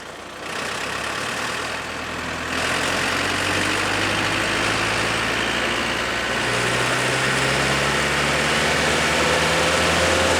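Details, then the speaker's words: Bandit 200XP diesel wood chipper, clutch engaged, throttled up from idle to working speed: smooth climb to an even drone with no knocks, misses or hunting; normal. "we want to run at about 2600 rpm 2700 rpm give or take some"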